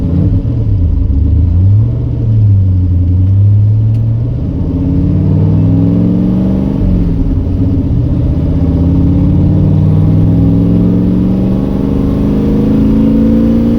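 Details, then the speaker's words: Miata after BTR 660 valve spring install cured a months-long misfire: clean pull through the gears under hard throttle, engine note climbing smoothly and evenly with no stumble or break-up; running healthy. "oh [ __ ] a it works again oh man oh that felt so [ __ ] good"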